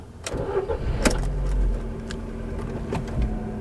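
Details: 2007 Ford Focus, 129,969 miles, very low on fuel; quick crank, catches cleanly and settles into even, steady idle with no knocks or misses. Normal start and idle.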